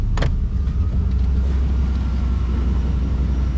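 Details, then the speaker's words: 1992 Chevy C1500 V8 idling around 700 rpm with AC on, now firing on all eight cylinders: deep steady rumble with no hunting or surging under compressor load; idle stable, owner considers it fixed. "oh we'll even turn on some AC oh look at that way way more stable way better oh I would even wager to call this fixed"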